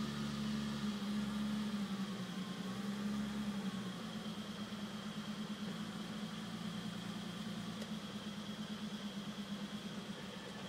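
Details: BMW E34 M5 idling: idle hum with an uneven, loping pulse about three beats a second that wavers instead of holding steady; rough idle, cause unclear.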